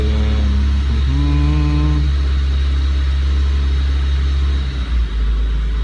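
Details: 2007 Renault Logan 1.6 8-valve single-cam: idle hunts and wavers, then stumbles and nearly dies, with wet plugs, smoke and backfires on throttle. Misfiring and stalling are traced to an ECU wiring fault.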